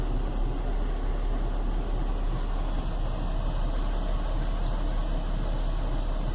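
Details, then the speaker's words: Chevy Venture, warmed up about four to five minutes on a cool day, idling: deep uneven rumbling rough idle; cause was a failed hydraulic engine mount, with no thunk when shifting into gear. "but you can probably hear it's got a kind of a rumble to it it's definitely not running too smooth"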